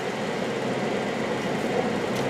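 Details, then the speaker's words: Non-running 5-speed Jaguar XJ-SC brought back after cleaning the fuel injectors: smooth steady engine hum with no misses, knocks or ticks as it starts and idles; runs great, revs nicely, oil pressure coming up. "so car runs great you know not disappointed in the"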